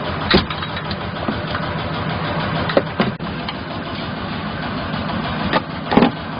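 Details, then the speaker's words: Mechron 2450 utility carrier running: irregular sharp clunks every second or two over the engine drone, worse uphill and on rough roads; belt and oils fine, a damaged joint on one side is the suspected cause. "언덕을 올라간다거나 조금 합한 길에는 소리가 많이 나가지고 점검을 하고 있는데"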